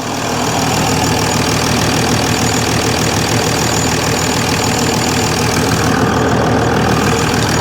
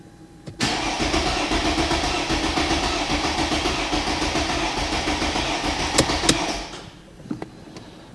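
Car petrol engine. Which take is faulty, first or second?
second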